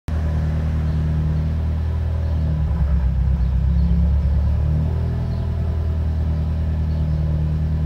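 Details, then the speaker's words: FA20 engine, about 20,000 miles after walnut blasting, sluggish: low idle rumble wavering and lumping unevenly, first suspected as vacuum leak but gauges showed none; rough idle from clogged oil control valve (not the VVT solenoid). "my car is having a very rough idle as far as we all can think it's probably a vacuum leak"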